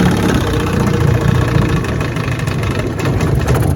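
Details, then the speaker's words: Restored 1971 Johnson 6 hp two-stroke outboard on its first on-water test run after restoration, in reverse gear: steady low-idle putter with no stalling or clatter. Reverse works normally. "yes sir reverse works just fine"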